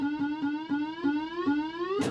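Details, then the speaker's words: Bally Frontier pinball machine after swapping in new boards: steady buzz near 270 Hz creeping upward, with faint ticks about five per second. Something is locking on and still buzzing; the cause is unknown. "I hear something locking on and I don't like it"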